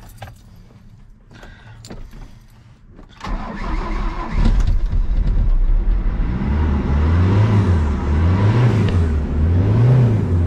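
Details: Diesel ute, cold, unstarted for a couple days, after exhaust reinstalled; a few clicks, then it catches and idles lumpy, rising and falling about once a second: rough, hunting cold start.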